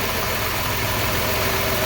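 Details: 2003 Chrysler Town & Country 3.8 V6, codes P0300 and P0204, coil and plug wires already replaced: rough, uneven idle with constant hiss and no steady beat; cylinder 4 injector gets no pulse, power or ground being checked.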